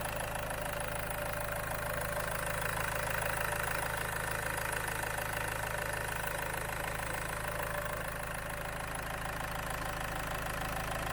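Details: Land Rover Freelander 2 diesel idling on Wynn's diesel purge during an injector clean, fuel pump fuse 22 removed. Regular, even clatter at a settled idle with no stumbles or hunting: healthy, normal idle.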